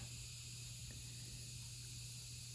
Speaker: so you can probably hear that hissing sound that is from the little needle in there generating ions and it's just got one setting it's just either on or off